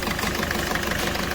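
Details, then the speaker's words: Ford Figo diesel idling rough and knocking with an unsteady beat; heavy misfire, star light blinking, revs won't exceed 2000 rpm, speed limited to 40; injector circuit open/shorted fault code (P1204) on one cylinder. "गाड़ी के अंदर missing भी है star light billing कर रही है missing है बहुत ज्यादा तो"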